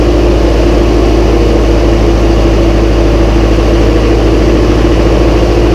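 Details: Massey Ferguson 135 tractor first start after oil change, filter and valve adjustment, high-low in neutral: loud, low, even idle at roughly two to three pulses a second, no tapping; starts straight up, healthy running.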